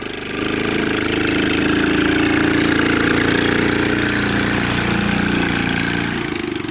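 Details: Hammerhead 110cc go-kart after sitting nearly a year, now with charged battery and cleaned carburetor: small single-cylinder fires up and holds a steady, even buzz with no misfires or knocks, then eases off; healthy running.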